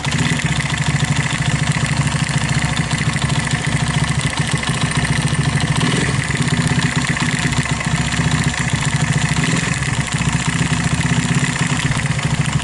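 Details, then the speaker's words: Viar 150cc motorcycle, unused for about five months: a loud single-cylinder run with a rough knocking clatter when revving, as if something inside were loose or broken. "Eh begitu dihidupkan tiba-tiba bunyinya seperti itu ketika kita naik gas khotob seolah-olah ada yang lepas atau ada kelakar yang pecah bagian di dalam"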